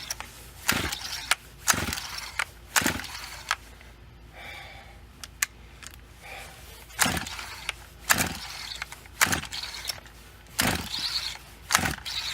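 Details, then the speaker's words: FarmerTec 200T chainsaw with new NGK plug: repeated recoil pulls, short rattling rips with no firing, though it fires on carb cleaner sprayed into the cylinder; no start from a faulty aftermarket carburetor, OEM replacement needed. "nope okay you may ask so what does that mean well it means the carbs bad"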